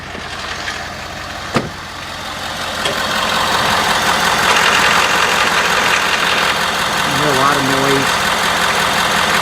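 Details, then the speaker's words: Ford 6.7L diesel, 83°F ambient, idling at 600 rpm after a restart, low oil pressure warning that clears near 1,000 rpm: steady loud clatter with a fast tick about four a second; noise from low oil pressure. "this time it didn't do a boil and we go off we can hear the engine making a lot of noise"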